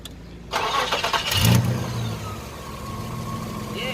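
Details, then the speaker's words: 1995 Nissan pickup 3.0L after PCV valve replacement, idle screw turned all the way in after cleaning; screw suspected to have backed out: steady, even, lower idle with no hunting; truck had been cutting out when warm. "is idling lower now okay so it must have just backed itself out or something when we I cleaned it too much"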